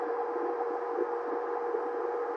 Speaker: it's kind of an annoying carrier sound